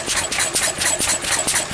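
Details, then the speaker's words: Pre-electronic engine with visible smoke while its fuel mixture is set; sharp, uneven firing about four beats a second, skipping with a rough loping rhythm, eight-stroking because the mixture is too rich, so it is weakened off. "Well, that's because it's too rich a mixture. So we weaken it off."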